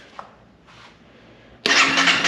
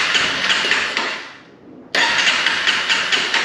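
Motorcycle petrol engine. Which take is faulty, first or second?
first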